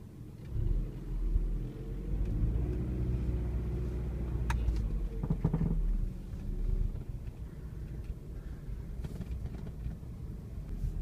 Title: miata popping noise